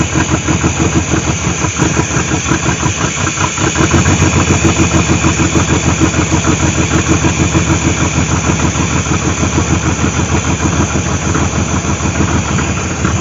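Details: 1998 GMC Sonoma 4.3-litre V6, revived after sitting for years in swamp grass, at idle: steady, even firing pulses about three per second with no knocks or misses; running smoothly.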